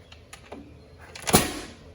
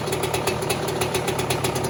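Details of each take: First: 2002 Yamaha YZ125 two-stroke after a top-end rebuild, first start with fuel, oil and spark confirmed: a few kick-lever clicks, then one sharp loud pop that dies away, a backfire instead of starting. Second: 2002 Yamaha YZ125 two-stroke after top end rebuild for failed rings, first startup: rapid, crisp, even crackle at a steady fast idle, no rattle or misfire; fresh top end runs well.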